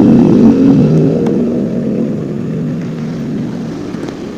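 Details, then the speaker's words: Older Honda Scoopy FI on the centre stand with no load: it revs briefly, then sags and dies when throttled, and won't move at all under load. The fuel pump hose was later found flowing dirty fuel nonstop. Engine stalls when throttled. "Motornya itu hidup, cuman nggak bisa jalan. Digas itu malah mati. Kalau nggak ada beban sih masih bisa ya, masih bisa digas. Biarpun agak sulit, digas malah mati."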